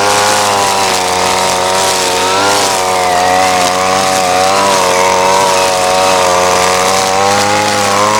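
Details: Ryobi SS30 30cc two-stroke weed trimmer after a simple low-side carburetor adjustment: steady high buzz holding speed under cutting load, slight wavering, no bogging or stalling; runs great though perhaps not exactly fine-tuned.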